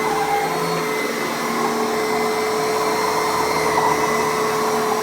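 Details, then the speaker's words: Kenmore PowerMate power nozzle on canister vacuum after upright-lock repair: steady high whine with faint uneven flutter; owner suspects slightly worn belt or small leak at canister, unconfirmed; abnormal running noise. "That might actually be the belt. The belt is a little bit worn."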